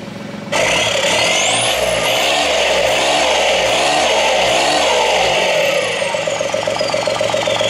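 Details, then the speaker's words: Cheap SEAT Ibiza running after immobilizer fix: loud, raw, rasping exhaust rising and falling with revs, no muffling, because the rear silencer box is missing; engine otherwise seems to run okay. "what a beast running sounds alright apart from the awful fact that it's missing a back box a few uh oh yeah absolutely awful"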